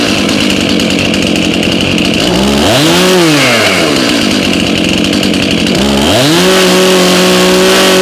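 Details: Chainsaw from a 2021 lawn care fleet, cold start at about 30°F after 5 months stored on untreated ethanol-free fuel, chain loose and guard off. It roars at a steady speed and blips up and down twice, crisp and even: healthy, normal running.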